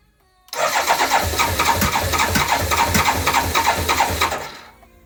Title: K1200LT no start 3